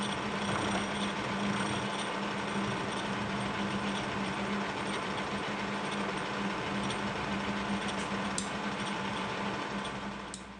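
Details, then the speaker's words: Kearney & Trecker milling machine making first cuts after overarm support restoration: steady motor hum under cut with regular pulsing beat about four per second from the cutter; owner suspects a very small undetectable bend in the arbor, not worried. "you could hear that rhythmic sound that the cutter was making and I believe that's because there's likely a very small undetectable Bend in this Arbor and it'll do fine I'm not worried about it even in the leas"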